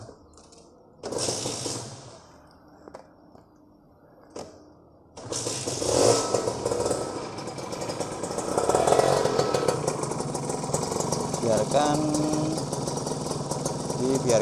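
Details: Kawasaki Ninja RR two-stroke after changing clutch/transmission oil unchanged for over a year: after a quiet spell engine catches into a busy, crackly two-stroke idle with steady revs, no knock or grinding, letting new oil circulate.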